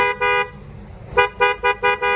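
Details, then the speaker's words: Suzuki 5-ta van after fitting genuine Denso 12V twin horns (Indonesian-made): loud, bright two-tone horn, two long blasts then five quick toots; clean, even, healthy horn. "Nghe tiếng cực kỳ hay nha các bạn, phải nghe xa xa một chút nghe mới hay."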